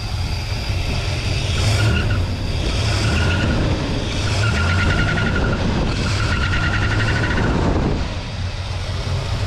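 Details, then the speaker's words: 1969 Lincoln Continental Ford 460 V8 with low oil pressure light on: rough idle with repeating chirpy squeal from the water pump pulley, no lifter clicking; light later found to be a bad switch. "you do hear the water pump pulley making noise but other than that it seems like it's okay"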